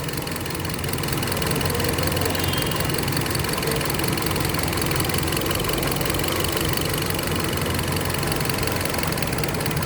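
An idling engine with an uneven, stumbling beat: a misfire, one cylinder intermittently failing to fire.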